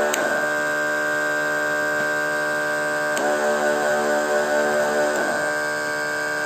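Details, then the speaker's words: Single sprayer pump running with only one of its two switches on, giving a steady even electric hum with no knocking or surging; the second switch/connector adds pressure for nozzles above 2.5 LPM or long hoses. Normal pump running. "Yang samping bisa terdengar perbedaan suaranya kan ini Apabila kita fungsikan semua saklarnya oleh kita matikan salah satu sangkarnya"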